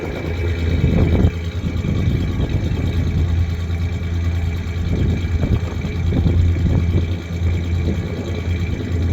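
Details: 1993 Ford Ranger 3.0 V6 low idle hum with uneven, lumpy beat and irregular puffs; misfire at idle while searching for the cylinder, owner suspects cylinder 3.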